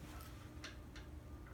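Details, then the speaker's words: 1970s-era Moss Tropical Breeze spinner ceiling fan, solid-state control: very quiet, only a faint steady low hum or slight buzz, nothing rough. Normal quiet running, bedroom acceptable. "Yeah, it's so faint. I would definitely accept this as bedroom quiet, even if it's got a slight buzz. I'm probably not going to really notice it."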